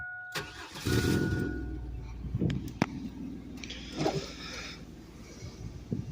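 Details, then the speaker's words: 1998 Chevy Blazer LS 2-door 4x4, 4.3 V6, quiet exhaust: brief cranking, then the engine catches and settles into a quiet, even idle with no knocks or misses; normal cold start. "now pretty quiet exhaust which is good I was going deaf with the the Luminous exhaust to be honest with how loud it was 4.3 basically a 350 with two Pistons chopped off sounds pretty decent not as good as a V8"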